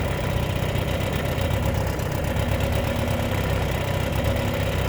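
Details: 1957 Mercury Mark 10 running after sitting 45 years, during carburettor mixture adjustment; steady, even idle with a low, smooth beat and no knocks or misses, holding slightly raised rpm after the tweak.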